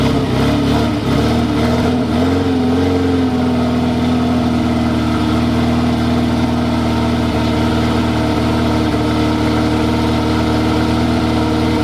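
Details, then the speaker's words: Renault 4L endurance-race prototype, first start after rebuild; settles from a brief blip into a steady, even, clean idle with no knocks or misses; compared to a Renault 5 Alpine; normal idle. "bon vous l'avez entendu ce moteur il fait quand même un bruit extraordinaire"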